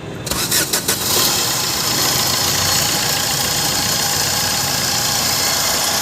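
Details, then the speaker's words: Maruti Suzuki Swift VDI diesel at idle after starting: steady harsh grinder-like grinding hiss from the AC compressor; compressor pulley bearing noise, front bumper, intercooler and fittings must come off to remove the compressor. "तो दोस्तों आवाज जो है इसके AC compressor में है तो इसके लिए हमें यह आगे का जो फ्रंट बंपर है यह खोलना होगा"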